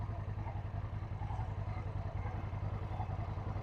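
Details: Suzuki Intruder motorcycle, long unloved, just started on choke with a borrowed battery, compression unknown, smoke from exhaust: low lumpy idle with loose uneven clatter on each beat, cause not pinned down; clatter at idle.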